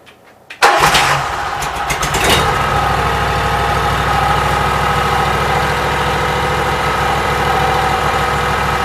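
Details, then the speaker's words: Cold Briggs & Stratton Vanguard engine with Briggs carburetor, run only 5–10 minutes after rewiring, cranks and catches at once, then settles into a steady, even idle with no knocks or misses; runs fine. "So boys, I'm tickled pink. Everything seems like it's working. I have no complaints. Runs pretty good."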